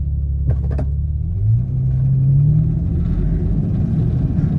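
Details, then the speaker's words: 1991 BMW 850i E31 pulling away from a stop, fine once in gear up to 45–50 mph: revs flare sharply before car picks up and moves off, then settle; engine flare on take-off, cause not found. "But here, let me stop and see if you can hear the flare up, and then it takes off."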